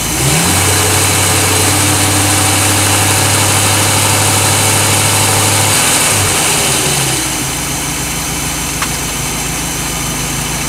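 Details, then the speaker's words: 1988 Crestliner Chevy 305 V8 with OMC King Cobra drive and electronic ignition, despite blow-by on a couple of cylinders; revs up strongly, then settles to a steady even idle, no stumbles or knocks. "okay that's a pretty good motor right there I'm impressed at start it's top uh the guy said he had electronic ignition I believe him now holy cow that started well"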